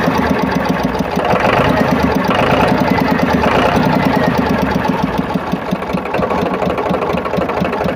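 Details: Powertrac tractor diesel idling after water pump repair; steady even clatter about three beats a second, no squeal or grinding from the pump area; water pump noise heard before is now gone.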